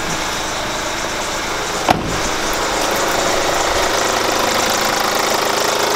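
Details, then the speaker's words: Kia Grand Carnival at 100,000 km, idling. A faint bird- or cricket-like chirping squeak rides over the running note and is heard better from the wheel side; it is traced to the crank damper pulley, which is replaced. "There's a strange noise, like the sound of a cricket, like a bird, in addition to the basic sound of an engine I can hear it better from the wheel"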